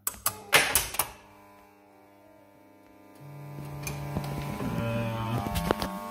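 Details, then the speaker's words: Gottlieb Haunted House pinball, at game start after a new coil was installed (old one burned): a few clacks, then a steady buzz that never releases as the five-bank drop target coil locks on. "okay well i don't think it blew but something's locked on did you hear that hmm so one of the last problems left with the machine is the five bank drop target coil is locked on"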